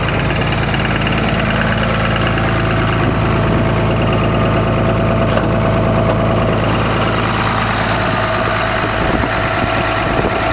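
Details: Cummins diesel idling with a dull repeating knock about three a second under the clatter; rod knock suspected, cause unconfirmed.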